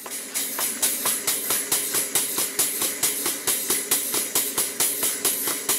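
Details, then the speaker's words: Model 12-inch Southworth steam pump, now running after shuttle piston pushed to bottom of stroke: even puffing about 136 strokes a minute over a constant sharp hiss, lots of steam leaking from the bottom steam-cylinder gland, an easy fix. "As you can clearly see, there's a lot of steam coming from the bottom gland on the steam cylinder. That's an easy fix."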